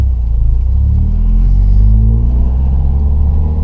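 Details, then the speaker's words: Warm 2009 Subaru Impreza with the muffler removed and the earlier lack of power resolved. Throaty exhaust rumble that rises and settles cleanly on each blip, no misses or rattles; normal revving. "Oh, yeah. Wow, that sounds pretty darn good. I would be happy with that."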